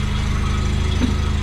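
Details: Mazda FC RX-7 rotary, restarted after repriming fuel lines and clearing coolant flow: smooth, steady low hum at idle, even beat, no knocking or hunting; idles normally.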